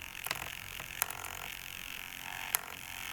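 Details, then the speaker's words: RC car steering servo at full lock with the steering rate knob turned up gives faint high-pitched grunts from the servo motor pushing against the stops; trimming the rate back until the sound stops still gives full steering. "Hear it grinding? It's not really grinding. It's grunting. That's the motor in the servo. If you can hear the motor in the servo when you're all the way to one side, you're pulling too hard against it."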